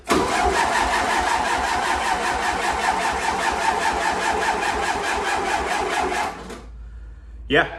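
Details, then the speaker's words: 1961 VW Beetle's first start attempt in years on a booster pack, with fuel in the tank but none in the breather filter: about six seconds of steady rhythmic cranking with no firing. Crank no start; owner suspects no fuel delivery, possibly a clog. "I don't think this thing's getting any fuel so I'm gonna dive into why and go from there"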